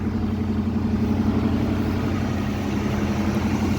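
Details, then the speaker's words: One-owner 1979 Chevrolet Scottsdale 4x4, V8 on old gas with a battery charger connected, just started after sitting: steady, even V8 idle with a smooth low burble, no ticks, knocks or stumbles; sounds healthy. "wow I got to admit the engine sounds really good that is so weird"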